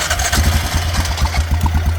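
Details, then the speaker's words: Yamaha Grizzly 600 ATV just started on a newly fitted aftermarket carburetor, throttle cable not yet hooked up; lumpy, hunting, uneven idle instead of steady, leaking fuel — rough idle, owner suspects carb untuned or wrong jet size. "Oh, yeah, good. It's running like shit already."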